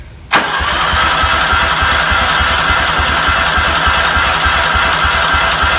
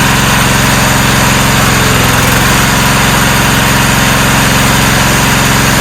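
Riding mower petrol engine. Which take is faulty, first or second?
first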